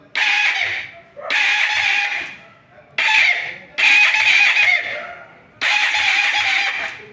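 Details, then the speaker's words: Motorcycle under service (Mirage/Comet) that is hard to start: five short bursts of shrill squeal, like a crowing rooster or meowing cat, while cranking; the mechanic suspects the starter motor or starter plate, though the owner found the brushes were fine. "chegou a hora do barulho estranho na partida parece que tem um galo aqui dentro um gato miando"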